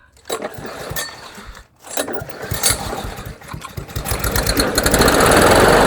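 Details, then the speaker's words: Weedeater (Husqvarna/Poulan) mower that refused to restart when hot. Once primed it sputters, catches after a brief pause, and picks up to a steady buzz with no misses. Normal start and run. "So you prime it, and then it starts. That doesn't make sense."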